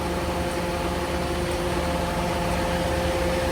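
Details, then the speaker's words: Truck with an exhaust aftertreatment fault, idling after pump work with the pack set to continuous to bring the temperature up: a steady diesel idle with a faint, even tick about once a second as the dosing unit injects AdBlue normally; no leaks found. "can hear that there that's the uh dorsing unit dorsing AB blue in now"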